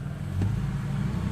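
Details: Ford Falcon XR6 BA just after spark plug change, idling: steady, even low engine note with one brief rev blip, smooth, no misfire or knock; running normally.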